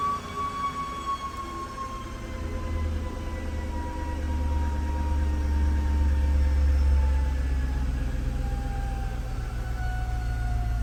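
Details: 2008 Jaguar XJ: a steady high whine over a smooth engine rumble, drifting slightly in pitch, with the battery light on the dash; the original alternator has failed.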